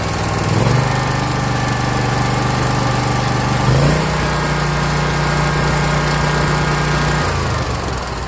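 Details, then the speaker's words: 2021 Scag Patriot mower with Kawasaki FX691V V-twin, 80.6 hours, before valve adjustment: steady running stepping up in speed with a light ticking from under the valve cover; cylinder 1 intake valve was loose at 0.010 in (spec 0.004–0.006 in cold); valve tick from excessive valve lash. "80 hours on a Kawasaki FX 691 and I heard the a ticking sound that does not known or not normal for my trained ear Kawasakis have a little unique sound to them but this this was definitely the culprit"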